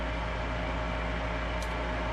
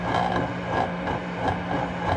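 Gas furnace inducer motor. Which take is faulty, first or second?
second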